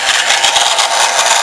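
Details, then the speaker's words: Omnibot 2000 quad-motor two-speed gearbox at its lowest speed: fast, dense rattle and crackle over a high motor whir. Cause unknown; the noise stopped after pressing on the unit, and the owner plans to line it with foam. "And again, trying to figure out exactly what that noise is."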